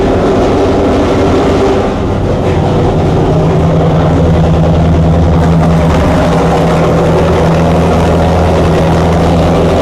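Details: Chrysler 440 Six Pack V8 with rebuilt triple two-barrel carbs, not yet warmed up: rough, lumpy, stumbling idle with heavy low rumble; water-bottle test shows two cold exhaust pipes per side, four cylinders dead, running rich; carb cause uncertain.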